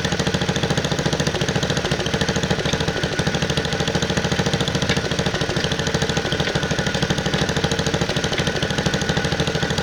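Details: 1969 Bolens 850 tractor, Wisconsin S8D 8.25 HP engine, carburetor at its initial two-turns-out setting: harsh rapid knock, about three per second, at high rpm. It also idles poorly, smokes at idle and has governor trouble; points adjustment is being tried as the fix.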